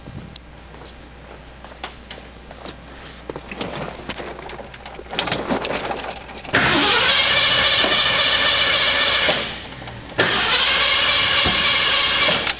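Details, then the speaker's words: Ford Mustang with the distributor deliberately installed probably about a tooth off and the damper turned: the starter spins the engine in two long, steady bursts but it never catches; crank, no start from wrong ignition timing. "Okay, we're going to start this car up knowing that we've got a few things wrong. Distributor is probably off a tooth or so."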